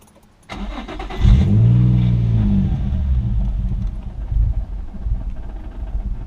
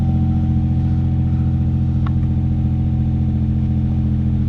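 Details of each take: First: Infiniti G35 in limp mode, styrofoam piece stuck in the MAF sensor and badly clogged air filter with torn intake boot: engine catches with a surge, then revs sag and stumble, won't idle; stalling after start. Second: G35 after cleaning a MAF sensor that had styrofoam stuck in it (limp mode, torn intake boot replaced), clutch in, neutral, warming up: a steady, even hum with no misses or surging; smooth, healthy idle.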